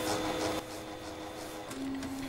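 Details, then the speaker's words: Epson SureColor P400-based A3 DTG UV flatbed printer showing 52H/71H errors; paper feed (PF) motor turning clockwise at start-up initialization with steady even hum, no grinding or clicking; normal paper feed motor. "Có vẻ như nó đang cố gắng cung cấp một trang. Đây là động cơ PF. Nghe hay đấy."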